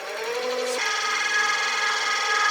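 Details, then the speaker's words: Caterpillar automaton servo motor with 40:1 right-angle planetary gearbox cranked past 20 up to 30 RPM: quiet tone steps up into a loud, steady high whine like a vacuum cleaner; gearbox much louder than expected at higher speed. "when we start cranking up the speed past 20 RPM and up to 30 RPM, it sounds like a vacuum cleaner."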